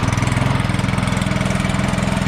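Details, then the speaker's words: Troy-Bilt snowblower small single-cylinder engine, test run after making and fitting a new carburetor gasket to stop a gas leak, choke turned down: quick, very regular putter at idle without hunting or misfire; runs good, no leaks. "Ooh. That's that. Runs good. No leaks. No leaks."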